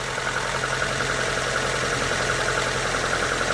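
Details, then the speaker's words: Hyundai Getz petrol engine, first cold start after hydraulic lifter replacement: steady, even idle with only a soft light valve tick and no heavy knock. Lifter knock fixed; slight jerking when cold remains. Normal idle. "і по факту вже можна сказать що заспокоїлись тобто перед ремонтом там був звук Скажем так виражений дуже"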